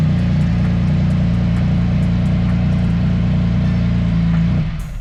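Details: Motorcycle with a little over 8,100 miles, started and revved: a strong, steady, even low engine drone that fades at the end. It sounds really good, with normal idle and revving.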